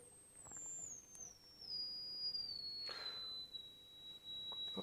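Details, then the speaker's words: Advanced J1B AF signal generator, speaker on output, top range 4 kHz to 50 kHz: clean pure whistle glides smoothly from piercing high pitch down to about 4 kHz, no warble or dropouts; normal oscillator output. "Let's do the top frequency, which is 4 kilocycles to 50. So we're on 50 at the moment, so I can't hear that. Sorry to all the dogs out here. Okay, I can just about hear that."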